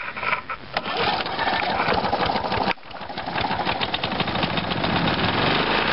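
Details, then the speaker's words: Small two-stroke hedge trimmer after fresh fuel and removing overfilled oil thought to have caused smoking: steady buzz with light rapid patter and brief dip, no smoke, running clean and even. "Oh yeah, no smoke at all, perfect. Perfect."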